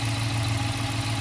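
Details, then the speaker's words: 2015 Dodge Challenger 5.7 HEMI V8 with Shaker, cold, idling after swapping the stock 203° thermostat for a 180° one, checking for leaks, none found: deep even burble, steady low rumble, no ticks or knocks; normal idle. "I love the sound of this guy phenomenal you want to keep your wife happy go get or a Hemi"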